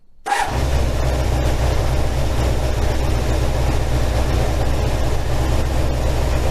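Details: 1987 Kawasaki GPZ600R (ZX600A) after a full rebuild and carburetor synchronisation, cooling fan cycling: the engine catches and settles into a steady, even idle with no hunting or stumbles. The carbs sound well balanced.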